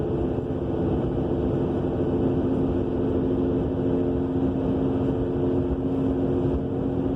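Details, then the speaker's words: 2000 Subaru Legacy AWD cruising at 50 mph: constant low droning roar with steady hum from the rear end, appearing soon after new brakes, calipers and rotors; wheel bearing also new, no shaking, louder near stops, scraping-ish when braking; source not yet found. "so I'm driving a 2000 Subaru Legacy. We have this mystery roaring noise coming from the back end."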